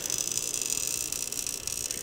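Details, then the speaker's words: Circuit breaker drawing about 18.4 A, wire burned at the breaker terminal, recorded with shotgun mic: harsh crackling, fluttering hiss-buzz of arcing, possibly internal to the breaker or a loose terminal screw; bad breaker suspected, not confirmed. "i got my shotgun mic so hopefully you guys can hear this but the breaker is making an internal arcing sound i think it's internal but it could be on the actual connection but just listen to this"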